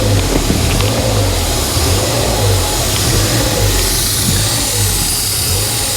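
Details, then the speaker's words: Ford Fiesta ST180 bought as a non-runner, first start: massively high, steady idle with no throttle input and loud air noise, caused by a broken inlet manifold pipe fitting snapped off; engine malfunction light on. "it's idling massively High I'm not touching the throttle there that's because the inlet manifold broker a bit"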